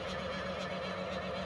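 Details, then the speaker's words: 3D printer that resets to standby mid-print, on power-up: steady mid-pitched whir with rough gritty edge as the fan kicks on; fan spins and moves air but grinds on something, not clearly bearings; cause unconfirmed. "that sound is not good it doesn't quite sound like bad bearings but the bearing tooth crushed their failed ground down into dust sounds like something else whirring around in there"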